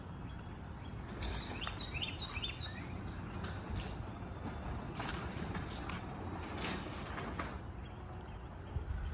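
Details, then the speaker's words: 2013 Chamberlain LW5000EV DC belt-drive opener on T-rail with 8-foot belt, run up by keypad: even hum and low rumble, no grinding; door runs up smoothly to a gentle soft stop, door heavy at the end when the cable isn't straight. "Does the soft stop on the way up very well though, but that's probably because right at the end this door gets really heavy when the cable is not straight anymore."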